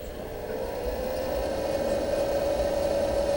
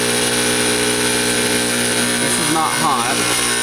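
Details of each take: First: Fog machine pump after the clog was cleared, pushing water that drips from the outlet tube. A steady low hum with an even tone near 550 Hz and no straining; the pump is running freely. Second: Fog machine pump running with no liquid drawn up the tube, vibrating hard. A constant loud buzz with a rattling vibration and no change in pitch, a pump straining against a clog somewhere in the fluid line.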